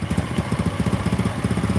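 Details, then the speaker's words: Motorcycle at low idle with loud, fast metallic knock (keteng) on every firing stroke; loose piston slapping cylinder, white smoke at first start; bike also felt unstable from steering head (komstir) issue. "tapi suara keteng area buring berbunyi ini pistonnya yang berbunyi karena longgar"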